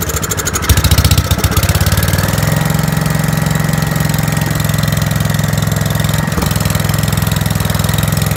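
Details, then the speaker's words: 5665 that was leaking gas out the carb, test run after carb work using starting fluid to start it; steady, slightly lumpy running with uneven firing, no misses, running way too rich while the main jet is adjusted. "sweet did the trick and actually saw the other issue it was running way too rich"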